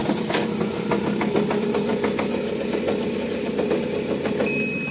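Small single-cylinder engine running steady with an even buzz and no misses; the bike idles normally.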